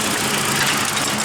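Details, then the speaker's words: Nissan 180SX after cleaning plugs and lowering fuel pressure from 50 to 40: gritty, unsettled rough idle close to stalling. "i'd be lying if i said it was running great but it's running and running is what matters"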